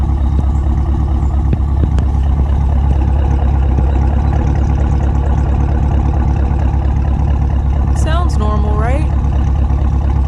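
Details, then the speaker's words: Modified Chevrolet Camaro SS V8 "Bruce", warm idle while the owner diagnoses a slight torque drop. Deep, steady burble with even firing pulses, no stumble or rough idle; sounds normal. "I just want to show you guys he doesn't necessarily have a rough idle, but I at least want you guys to hear what he sounds like. He sounds pretty normal."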